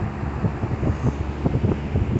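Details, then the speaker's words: Dayton 3-speed reversible 22-inch box fan, model 4C425, with a General Electric motor, running on high speed. A gusty whoosh of air pulses steadily over a low hum with no rattle or scrape; it blows a lot of air and runs fine. "and this is high speed and they blew out like a lot of Mal air on high speed"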